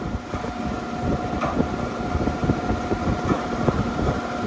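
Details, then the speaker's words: Walk-in cooler sitting at 50 degrees, rooftop condensing unit in cooling mode with solenoid energized: only the condenser fan's steady whir, which sounds off, plus wind gusts, with no compressor hum underneath; the compressor is not running. "Fan sounds funny. Compressor's not running, huh? Compressor is not running."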